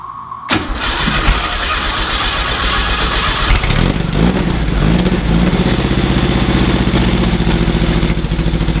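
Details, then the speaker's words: 1600cc VW engine in a dune buggy sand rail, started after a tune-up with new points and condenser: cranks, catches, then a stumbling idle with wavering speed; rough running was caused by plugged carburetor idle jets and passages. "it didn't fix the problem guess what it was it was this sucker right here the carburetor was plugged up the idle Jets were plugged up"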